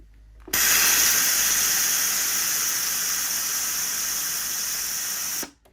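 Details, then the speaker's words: Polti Vaporetto 2400 steam cleaner after cleaning and rebuilding its solenoid valve, pressure in the green: a clunk, then a strong steady hiss of steam for about five seconds. Normal steam output restored. "Oh, something clunked there and it went across. Oh yeah! Definitely working now. That's amazing."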